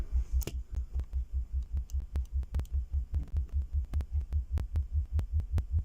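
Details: Speaker after fixing a rattle from a loose ferrite core in one crossover, both crossovers done; low throbbing test tone pulsing evenly about two and a half beats per second, no buzz or rattle, the speaker sounds clean.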